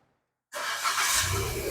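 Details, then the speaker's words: Proton Saga VVT with a crank/starter problem (starter, battery, relay and wiring all checked OK; immobilizer/ECU synchronizing addressed): engine catches immediately on the first try and settles straight into running, a clean one-kick start. "Jadi ini sekarang kita masuk, kita start. One kick sudah."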